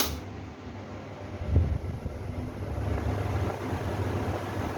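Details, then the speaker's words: Older 2011 Almonard in-and-out exhaust fan, in out position, compared with a new 2020 unit: quiet whir that swells only gradually over a few seconds; slow to reach full speed, capacitor problem suspected. "This fan took the speed right away because this fan is new, and now this fan has taken full speed. This fan having some capacitor problem."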